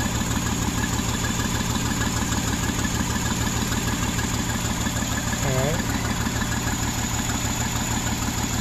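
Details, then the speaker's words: 2009 Jeep Wrangler 3.8L V6 6-speed manual: uneven idle with a stumble about three times a second and heavy shaking; cylinders 2 and 5 dead from no spark, shorted 2/5 coil burned out the PCM coil driver. "it does need a coil um the coil is shorted and what happened is that it was it it shorted completely so it burned the computer up that's what happened"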